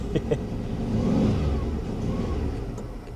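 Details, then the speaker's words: 1992 Dodge Dynasty, sat with fuel gauge below empty, old fuel, iffy oil pressure: engine catches after priming and revs unevenly, surging and sagging as if about to die; rough running. "the good news is it tried to [Music] start there she goes there she goes oh she don't she don't run oh"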